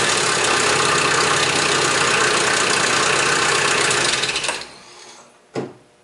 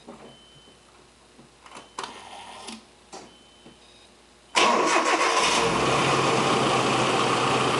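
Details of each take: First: Nissan KA24E engine (1989–1997); harsh metallic startup rattle over the engine right after it fires, from slack timing chain due to a weak tensioner. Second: Nissan KA24E (1989–1997) after timing chain slack check and reassembly for start-up rattle: a few clicks, then catches into a smooth, even idle with no start-up rattle; healthy.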